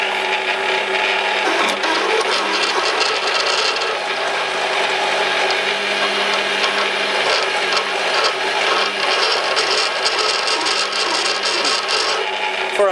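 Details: Lathe boring an ER32 collet chuck backing plate with a new internal turning tool holder, still at 110: slow cut with a constant low hum and dry scratchy grinding; sounds like boring bar chatter, not confirmed.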